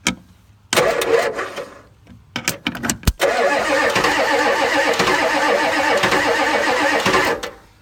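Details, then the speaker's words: 1984 Ford F-250 6.9 diesel, sat unrun since November 2016, block heater plugged in, about 55-60°F, glow-plugged: starter turns engine steadily about four seconds, never fires; no start, owner suspects an air leak and plans to crack the injection lines. "it's probably not gonna go anyway it's probably got in here leak somewhere so probably got to crack the crack the injection lines"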